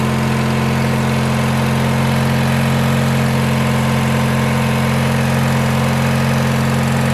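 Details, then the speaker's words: 1986 Murray lawn tractor single-cylinder engine after carburetor work: smooth, even idle with a steady low hum and no knocks or misses. Now idles well. "Let's see if it'll idle. Oh my god, it idles so good."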